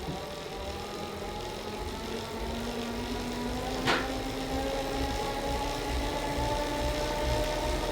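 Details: Elite Drivo II smart bike trainer noise test at 20 mph, typical erg/sim mode speed: steady low hum with faint rising whir and even tone throughout; normal running noise.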